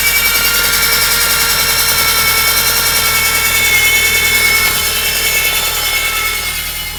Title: sciroccoMK2 whining noise